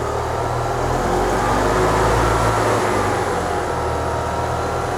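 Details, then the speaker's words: 2004 EZGO TXT gas golf cart, formerly crank-no-start, during full service: even chug about four beats a second, steady speed, no misses or stumbles; runs good and sounds better. "okay runs good it sounds better made a mess not too bad"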